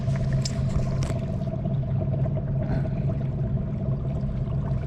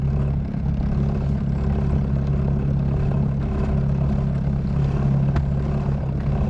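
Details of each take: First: Newly fitted bow-mount trolling motor on a 16 ft Lodge boat, on autopilot holding course: steady low electric hum with an even mid tone over water rumble, no surging or grinding; motor barely working and holding course normally. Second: New bow-mount electric trolling motor on a 16 Lodge boat, holding course on autopilot while weight at the stern lifts the bow. Steady electric hum with a rough churning wash. The propeller is blowing out of the water (ventilating).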